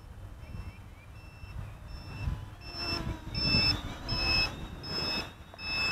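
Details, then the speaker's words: 3D X6 hexacopter in flight with 6045 props, around five minutes: sharp high double beeps about once a second over rotor wash, battery low-voltage alarm sounding. "okay I hear the low voltage alarm going now"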